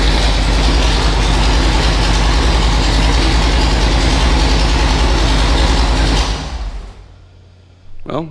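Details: Superformance GT40 replica with a Roush-built V8, run after replacing the failing starter/solenoid with an upgraded starter; fast, lopey, steady idle, then a clean shutoff; healthy, firing on all cylinders.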